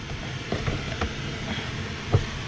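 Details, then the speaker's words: 2002 Toyota RAV4 HVAC blower on high: a smooth, steady rush of air with no grinding or whine. It runs on all 4 speeds, so the fan and resistor are ruled out despite little air from the dash vents. "You can hear it running. It runs on all 4 speeds. So we know it's not the fan and it's not the resistor that changes the voltage to the fan to make it run at different speeds."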